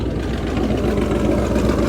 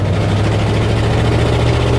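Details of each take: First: Truck at idle: deep, throaty, steady idle with no ticking or skipping; owner says it runs like a champ and sounds better than ever. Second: Truck on test drive after timing fix: engine note wavers and drifts up and down, then drops away, stumbling and losing power; owner suspects rust from the fuel tank starving it of fuel.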